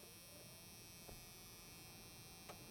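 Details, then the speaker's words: 1987 Chevy C10 heater/AC blower motor with the key on, after troubleshooting a connection issue at its power connector: quiet, steady electric buzz with no surging or scraping; blower motor running. "You just hear the buzz right now, but hey, fan is working."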